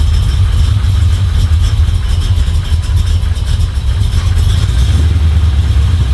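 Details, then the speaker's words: Chevy 350 small-block V8 in a Toyota Land Cruiser HJ75 Troopy, after refitting rocker cover, chasing a valvetrain tick: deep steady idle burble, no tick or stumble. "we'll uh test the next thing that could be wrong but at the moment that sounds pretty good"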